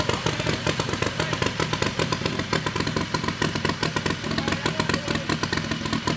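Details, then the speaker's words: Turbocharged, methanol-fueled Harbor Freight Predator 670 V-twin in a dragster, first shop run after fitting a Polaris RZR CVT to check clearances: a loud, lumpy V-twin lope with even firing and no knocking or grinding. It is running normally. "That sounds cool. Every time. It never gets old."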